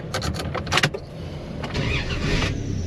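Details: 2000 Dodge Dakota whose owner reports it sometimes won't start for 30 minutes, seemingly worse when hot: a brief burst of quick cranking pulses, then it fires right up and settles into a steady, even idle; a clean, normal start.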